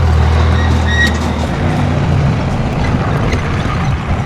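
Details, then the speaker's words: 1995 Dodge dually with 12-valve Cummins P-pump diesel, long-sitting truck: deep steady diesel rumble with an even low beat, no knocks or rattles; healthy smooth idle. "She's sitting here purring like a kitten."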